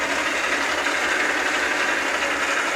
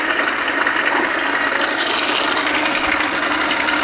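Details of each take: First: South Bend lathe nylon gear train on pumped 600-weight oil: soft even whirring mesh, no knocks or clatter; quieter each pump, owner considering STP; quiet normal gear train. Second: South Bend lathe change gears, recently swapped to nylon, running with a new pump-fed oiling guard with return reservoir; steady dry whirring chatter with a high rasp, some noise remaining; gear train noise.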